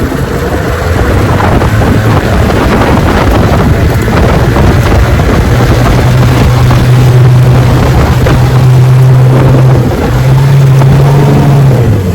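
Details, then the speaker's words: 1971 Johnson 9.5 outboard on the water: starts right up and idles well, but past half throttle drones unevenly and surges, acting like it runs out of gas, once stalled then took off; suspected bad fuel pump or clogged carburetor, not confirmed. "starts right up, runs good at idle, but when you get it up past half speed, it acts like it runs out of gas. It even stopped on me one time, and then it takes off again."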